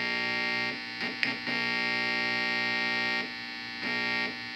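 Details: Harman Kardon A-10 Allegra amplifier, first test, brought up to about 117 volts; steady, even buzz with stacked tones under the music; power-supply hum, owner suspects capacitors need replacing.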